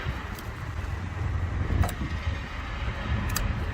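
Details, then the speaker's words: 2019 Subaru WRX after a minor accident with damaged sensor, ABS and headlight wiring: key on, engine off, sharp relay clicks about every 1.5 seconds, then the throttle body engages; cause unconfirmed. "you hear that clicking and then the bottle body engages"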